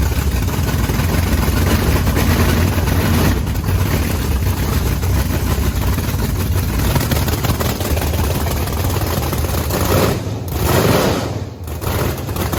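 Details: Methanol blower V8 Camaro after its injector nozzles were cleaned of gunk, mostly in the top ones: a loud, lumpy, deep idle that stays even and clean with no bogging or flooding stumble; now running fine.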